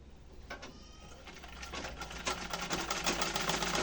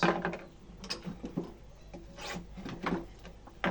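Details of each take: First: Restored rusty antique Singer treadle sewing machine after repair: speeds up to an even quick clatter about three stitches a second, smooth without binding; sews fine. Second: Old Singer sewing machine with a foot treadle, during restoration: irregular wooden rubbing and creaking as the treadle rocks, noise heard even without it turning properly; to be fixed.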